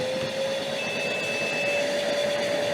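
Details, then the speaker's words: Metabo AS 36-18 L 30 PC-CC cordless wet/dry vacuum on turbo: loud steady suction roar with thin intermittent high beep; filter-control warning of possible blocked hose or filter, protecting the machine. "now that beeping sound is a filter control so it tells you that you might have a blockage in the pipe or the filter and that you should check it"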